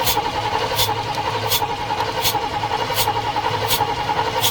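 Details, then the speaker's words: Rat rod engine cranking steadily with a hiss burst roughly every three-quarter second, never catching; spark plug grounded on metal shows no spark after used distributor parts were fitted. Crank no start, no spark. "All right, no damn spark."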